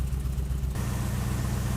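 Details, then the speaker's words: 1949 Ford F1 with LS swap, first run after sitting over 2 years, no exhaust fitted yet; lumpy, uneven stumbling idle, suspected misfire but no stored or pending codes; rough idle. "It sounds like crap. No codes."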